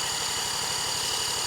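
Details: 1977 Honda Z50 stored 25 years, carburetor cleaned: quick, even chuffing under a loud drill whine, the engine spinning steadily but never catching; cranks without starting.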